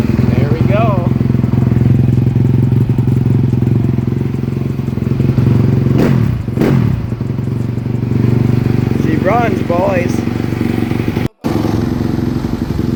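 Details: Yamaha YZ250F after top-end rebuild with new piston and rings and valves adjusted, fixing low compression: deep, steady engine drone, no knocks or misses; running healthy.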